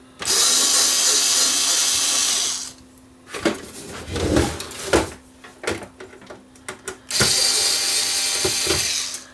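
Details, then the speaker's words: Panasonic PV-4361 VCR with a picture that shakes back and forth: harsh high-pitched grinding in two long bursts with faint hum and clicks, blue screen, tape mechanism grinding. "Grinding noise, blue screen."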